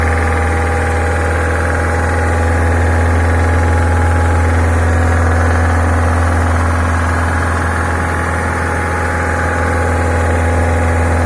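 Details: Peugeot 308 with EP6 engine, 82,000 km, oil level normal, no engine fault codes: steady deep drone with an even tapping about three and a half per second underneath at 2500–3000 rpm; engine knock, cause not yet found.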